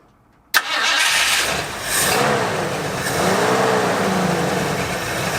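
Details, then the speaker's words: 1973 Ford Bronco 302 V8, revived after 10 years in storage, first runs after cleanup: starts and runs rough, note surging and wavering instead of settling to an even idle, weak idle; they suspect a vacuum leak, with timing and mixture screws still to set. "all right let's go ahead and check for vacuum leak and stuff because something's not happy"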